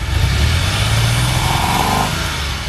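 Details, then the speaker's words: DeLorean warmed up while chasing vacuum leaks: engine note roughens and stutters as revs climb; owner suspects air-fuel mixture problem or a miss on one plug, checking firing order; engine stumbling under revving. "see and it's coming up as it as its revving up it's breaking up a little bit"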